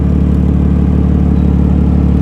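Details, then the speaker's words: BMW M4 F82 with S55 engine, VRSF filters, full straight-pipe exhaust, revved: loud, deep, raspy exhaust drone holding steady and smooth with no misfire or rattle; healthy engine. "Mașina este țeavă goală cap-coadă, adică se aude într-un mare fel."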